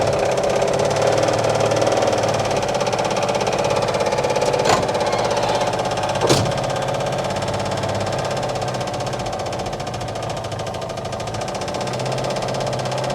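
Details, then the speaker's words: 1959 Oldsmobile 98 coupe at first start after arriving from Arizona, running on a remote gas can; uneven idle with a dry, irregular knocking tapping about three beats a second, with smoke off the manifold. Cause not pinned down. "i mean it's not liking that at all"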